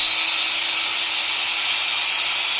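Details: Angle grinder after servicing and reassembly, running free: steady even high-pitched whine with no rattle, grinding or speed hunting; not heating, runs smoothly. Normal running.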